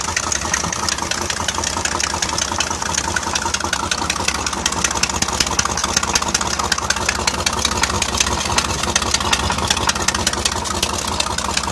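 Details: Mercruiser 4.3L Alpha marine V6 at idle: sharp, regular tick about three per second over the engine; owner suspects rod knock or a bad exhaust gasket, not confirmed.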